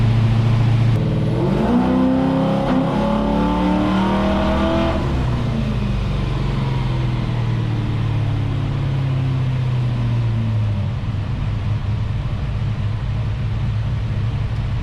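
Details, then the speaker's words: LS-swapped Impala on Holley Terminator X during tuning after adding timing: engine climbs hard at full throttle then winds down with an odd wavering note; source unknown, fueling spot on, throttle not fully opening due to floor mat. "not sure i've ever heard a car make that noise before ironically the fueling is dead nuts but uh looks like the throttle's not opening all the way good old floor mat problem"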